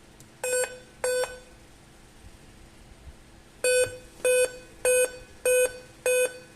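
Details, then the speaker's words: Dell Inspiron 15 on bench supply with speaker attached, at power-on: two beeps then five evenly spaced high beeps near 500 Hz, repeating five-beep code pointing to CMOS battery fault; powered on and showed image once CMOS battery removed. "E continua bipando, vamos ver? 1, 2, 3, 4, 5. E ele continua dando 5 bips."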